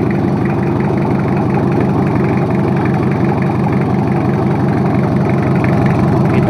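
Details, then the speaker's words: Toyota Kijang 2L diesel after overhaul for low compression and abnormal noise, first start: even idle clatter about three beats a second, smooth, no misses or knocks, no smoke, oil pressure risen to 15. "Ya udah hidup jalur untuk mesin2 airnya langsung segeng dan suaranya pun halus olinya udah naik 15"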